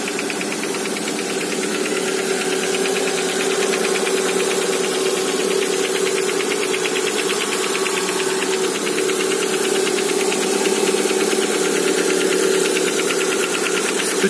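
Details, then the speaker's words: Lada Granta with the 127 engine, just after a cold start. Dull, uneven knocking at about two per second over a hissy idle, coming from the cylinders; the owner suspects pistons slapping when cold. It fades quickly. Cold-start engine knock. "откуда-то с цилиндров, наверное, поршни болтаются на холодном. Ну вот, буквально чуть-чуть постучало, и уже работает, как малышка ротиком."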